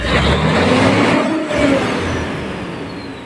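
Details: Fuso 6M70 diesel after injectors were tested, cleaned and reinstalled for hard start and low power: revs up cleanly, holds, then winds down smoothly with no misses or knocks; running healthy after repair.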